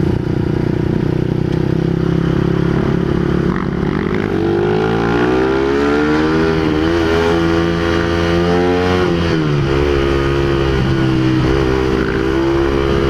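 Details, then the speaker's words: Honda CBR150R exhaust after the muffler's silencer insert fell out during a ride: loud, raw, crackling exhaust that rises and falls sharply with each rev; loud exhaust from the missing silencer insert. "kaya ito yung ano tunog ni blusa ngayon takaw huli to guys"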